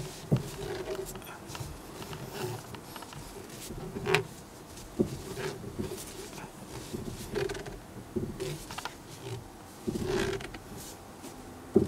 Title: ステアリング異音